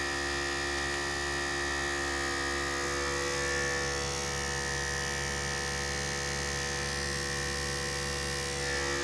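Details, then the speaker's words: Harbor Freight 12V 150 PSI inflator compressor hitting 30 psi at four minutes, faster than a small unit's seven minutes; steady buzzing hum, no knocks or rattles: normal running. "with a small air compressor and it was seven minutes to get it to 30 psi and we're four minutes and just hitting 30"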